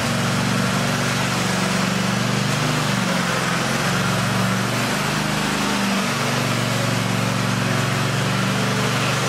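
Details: Toro TimeCutter SS4235 mower engine, test-run after its hard-to-reach electric parking brake was repaired: steady, even, smooth low drone with no knocks or misses, sounding healthy.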